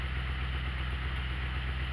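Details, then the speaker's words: Ford Ranchero carbureted V8, just restarted after an exhaust pipe repair, with timing possibly still slightly retarded: fast, steady idle with a quick, even low rumble, set high for winter so it stays running cold. "You hear how the idle's high? That's for winter, because once it starts getting cold, these carbureted engines don't like to stay running when they're cold."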